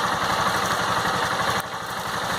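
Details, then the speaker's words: Honda CG Fan 160 (single-cylinder motorcycle), fully warm just after a ride, in neutral, stock original exhaust tip: even, regular thump at a settled idle with no ticking or rattle; owner hears none of the annoying engine noise others report, normal warm idle. "eu não consigo escutar esse barulho que a maioria das pessoas fal que tem que tem um barulho chato no motor Coisa e Tal assim mano Sinceramente eu não não escuto esse barulho né"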